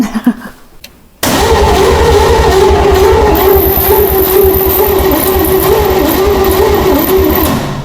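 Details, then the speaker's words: Abandoned 1956 Ford F100 with seized Corvette small-block Chevy swap: starter gives fast straining whine with rapid even chuffing but no catch; spark present, no compression, engine was frozen tight. "got some weird noise out here that'd be the store screaming for Mercy"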